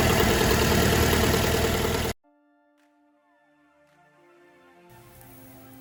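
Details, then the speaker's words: Fiat 500 petrol engine just after DIY timing belt replacement, first start: about two seconds of smooth, even idle with no knocks, ticks or misfires before the sound cuts; started no problem: normal idle. "pretty good sounds good started up no problem let's just have a listen outside"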